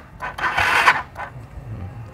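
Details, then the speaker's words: Old motorcycle with drained battery: slow labored starter groans that fade without starting; battery too weak to crank the engine, kickstart also hard. "teman-teman ya ini akinya ngedrop temen-temen jadi dia nggak kuat"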